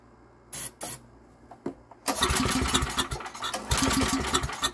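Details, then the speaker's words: Estate-sale generator with no primer and good compression, won't start; a few pull-cord cranks, choke open, then a ragged sputtering burst on starting fluid that never catches into a steady beat. "thing a few pulls it does not have a primer and if it doesn't start we'll use some starting fluid"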